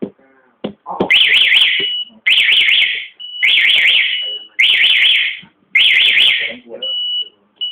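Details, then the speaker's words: Motorcycle anti-theft alarm (model 650S) in sound mode: five quick high warbling siren bursts about one a second as someone sits on the bike, then quiet; continued sitting makes it sound about 20 seconds. "ฮะแมีเสียงก็จะร้องเตือนแป๊บนึงจุดละนะครับแต่ถ้าเยังนั่งต่อเนื่องมันจะมีเสียงบ่อเสียงมันจะร้องอย่างเงี้ประมาณ20วินาทีนะครับ"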